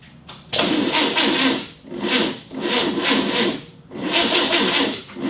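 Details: 1965 VW Beetle, first start attempt in years: labored starter grinding in slow surges about a second apart, engine dragging over and not catching; weak cranking as the Optima battery struggles, connections not cleaned. Cause suspected, not confirmed.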